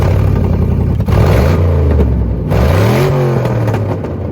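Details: C6 Corvette V8, owner finds it too loud: deep, very loud revs rising and falling with raspy edge, consistent with a leaking header joint and hollowed cat.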